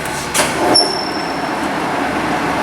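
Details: LeBlond 24" sliding bed gap lathe run through its spindle speed ranges, with a squeal noted earlier at the back. Steady, smooth gear whir at low spindle speed with no knocking or grinding. Spindle running normally.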